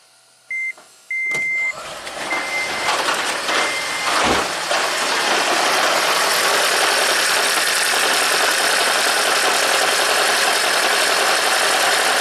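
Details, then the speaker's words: 2010 Toyota Prius after owner's DIY head gasket replacement, severe misfire, ECM code P0304, coils out for test: warning beeps then engine runs with uneven stumbling beat; cylinders 2 and 3 misfiring, coil 2 not sparking, cylinder 4 contributing. "4, I think it's contributing. 3, not contributing. 2, no spark at all. Okay, so I think 2 and 3 are misfiring, 4 is okay."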